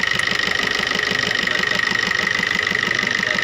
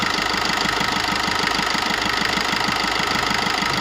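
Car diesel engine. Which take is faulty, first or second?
first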